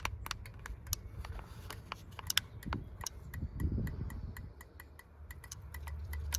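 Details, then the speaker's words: Rover 200 Mk3 T16 Turbo with a misfire: injector number 2 clicking crisply, about four ticks a second over a low rumble, when energised, so the injector works; whether its pintle opens is unknown. "That is actually the injector clicking. So that injector works."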